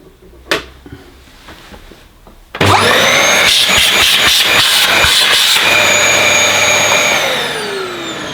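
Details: Used Dyson DC21 Motorhead canister vacuum, found damp and smelly: motor snaps on and settles into a steady, high, even whir with smooth air rush; healthy suction.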